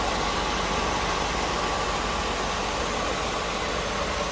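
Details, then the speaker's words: 1986 Oldsmobile Cutlass Supreme V8 idling steadily and evenly, hood open, with no ticking and no exhaust leak; a good sounding engine. "sounds good don't hear an exhaust leak no ticking a good sounding engine there you go"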